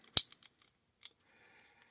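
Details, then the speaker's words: 3-speed Shimano index shifter after T-9 Boeshield lube squirted down the shift cable hole, clicking from 1 to 2 to 3: one sharp crisp click then lighter ticks, clean positive detents, no grinding; shifter working properly. "You can hear those clicks. They are sharp. They are crisp. They are back."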